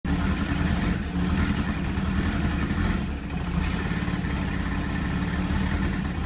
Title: RX7 FC3S rough idle, fuel cut. timing cut, limp mode